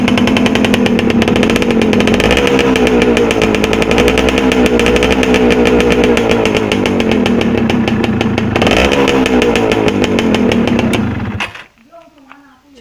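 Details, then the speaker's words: Yamaha F1ZR 110 two-stroke motorcycle with oil pump set too rich, unburnt oil dripping from exhaust joint: fast buzzy beat with ragged stuttering edge, misfiring at high rpm before cutting out; fix is adjusting the oil pump. "tentu saja di sini untuk piston aman ya cuma untuk segi pembakaran pasti kurang segi pembakarannya pasti nggak bisa sempurna dan ketika di RPM tinggi brebet gitu masalahnya"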